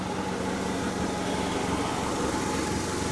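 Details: Honda Accord 2.2 non-VTEC after a new timing belt, water pump, balance shafts and oil pump, with the valve cover gasket reseated; no overheating: steady, even low hum at idle with no ticking, whine or misses, smooth and healthy.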